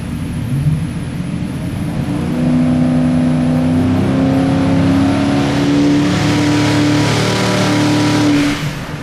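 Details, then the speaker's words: Flex-fuel twin-turbo 427 Ford Windsor small-block V8 on a new Formula 1-derived ECU, running under load; deep smooth drone climbing evenly in pitch, no misses or knocks, described as torquey, like a sewing machine. "Fucking torquey, dude. Yeah. It sounds good, man. It sounds like a fucking sewing machine, dude."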